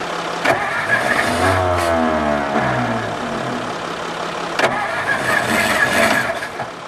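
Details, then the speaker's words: 1954 Ford Crestline Skyliner, sitting engine, points gap opened and jumper cables on, choke fully closed: starter grinds over unevenly with rising tone as the engine tries to catch; firing just beginning, the old starter is weakening. "Guys, I think she'll run. I had the choke fully closed on it. Close that choke back up."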